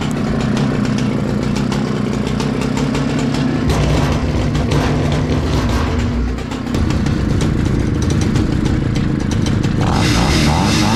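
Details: 60-year-old Husqvarna 65 chainsaw, brittle aged part found, only semi-repaired: small two-stroke burbling steadily with a brief pickup in speed, firing evenly; starts easily and runs nicely.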